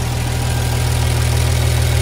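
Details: Diesel engine at idle right after valve lash adjustment, valve cover open with oil filling the rockers: deep, steady even rumble with no irregular knocks or ticks; normal idle.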